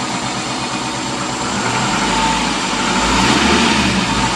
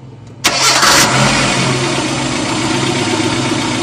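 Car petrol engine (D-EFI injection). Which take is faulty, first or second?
second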